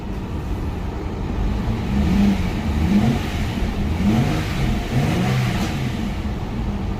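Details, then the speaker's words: Hyundai Genesis 3.8L V6 after the crank pulley bolt was installed: a clean rise and fall as it is revved, with no rattle or tapping; the engine runs quiet and healthy. "start up wow there's no more noise no rattle on the engine"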